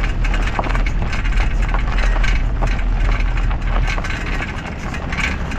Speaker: Esta es una circulación que cuando está dañada Se observa el desplazamiento de la llanta Y si observas la pieza el juego también se detecta la vieleta o el brazo de la dirección si están dañados usualmente suena